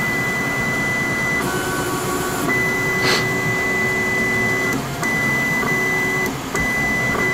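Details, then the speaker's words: Voron 2 3D printer homing on the nozzle, picking up its Euclid probe and running quad gantry leveling. A clean stepper hum that rises and falls with each move, with short pauses, a beep, and no grinding or skipping. Normal leveling. "so if i just do a i think i can just do this it's going to home on the nozzle grab the probe and do a qgl"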